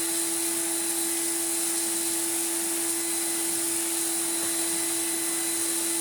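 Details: Refurbished commercial Numatic BX190 (BX.BX) vacuum cleaner with original single-pedal floor head: steady, even motor whine holding one pitch with smooth airflow rush, no rattles or surging; healthy after restoration.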